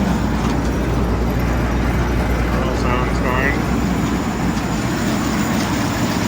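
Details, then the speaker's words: Gleaner combine at auction preview, running warmer than the owner would like, header down, reel and auger engaged: deep even diesel rumble with steady machinery churn, no knocks or grinding; auger working, no weird noises, healthy running. "Yeah, it sounds pretty good. Auger is working. No weird noises over here."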